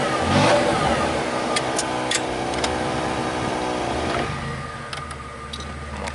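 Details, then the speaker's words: 1995 Chevy Lumina after sitting a year, exhaust reworked with turn-down tip: revs up cleanly and settles back smoothly without rasp or choking under light throttle; owner hopes restrictive muffler was the problem. "sounds good it might have been it I can only hope and pray driving around to see what it does"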